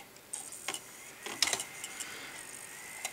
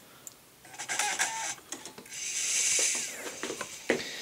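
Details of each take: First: Optical drive (LG label, Hitachi mechanism) with Windows Vista DVD, previously not working: sharp irregular ticks about every half second as it keeps seeking without reading the disc; the Hitachi is suspected worn out, cause unconfirmed. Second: Sony DVD-ROM drive on bench motherboard, Windows Vista 32-bit install DVD loaded: quick irregular clicks and chatter, then rising spin-up hum as the lens identifies the disc and loads files; drive seeks and reads normally.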